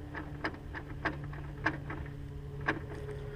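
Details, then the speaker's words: Honda S2000 original propeller shaft, heard as the wheel is turned by hand: sharp irregular clicks every half to one second, shaft sloppy with play, worsening over time; worn shaft needs replacement. "listen you can hear that clicking sound and that's what I've heard that sound for a while since I've had the car I just thought you know the drive chef's just a little bit of play but it's become so bad now that if I believe it needs to be replaced"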